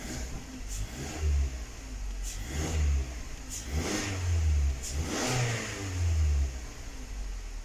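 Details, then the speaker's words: 2019 Mazda 6 GDI petrol engine blipped in short revs with rough, uneven low note; random multi-cylinder misfire (P0300) with check engine light, long cranking; plugs already replaced, injectors suspected and replaced. "والسيارة فيها الترتفة وهذه اهتزاز لمبة الماكينة ولا طبعا لاحظوا عندي هنا أغلبها كلها فيها مسفاير."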